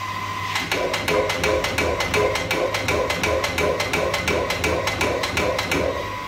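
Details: Water pump at a mosque, tank nearly full: sharp clicks about three times a second behind music as the automatic pressure switch chatters on and off, caused by a waterlogged pressure tank.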